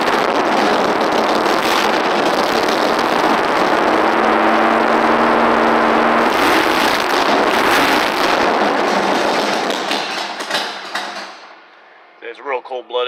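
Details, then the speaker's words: 1964 Nova with 396 big-block, after sitting 15 years, cold: loud, even, lumpy idle with steady exhaust beat; cold-blooded, owner feathers throttle until warm, idles good once warmed. "once it warms up it'll it idles good and stuff but it's it's pretty cold-blooded because if you turn it up world Idol cold then it idles too high when it's warm"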